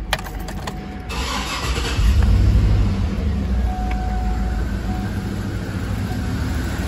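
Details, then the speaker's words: 2012 Cadillac Escalade 6.2L V8, compression tester moved to another cylinder with coil and injector disconnected: starter whirs, engine settles into lumpy stumbling idle; that cylinder shows oscillating compression while cylinder 7 has none from stuck-off lifters. "and look at this guys we have a compressor and look we have a oscillation in this cylinder because this cylinder has a compression and the cylinder number seven i don't have a compression okay"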